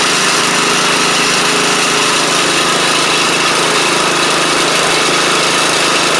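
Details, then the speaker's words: Troy-Bilt Pony rider with a replacement used engine and new head gasket, cold start the next morning: a steady, even single-cylinder drone, no misses or knocks. It smokes heavily for about a minute, then clears; it no longer smokes with the blades on. "It runs great. It just smokes a little on startup."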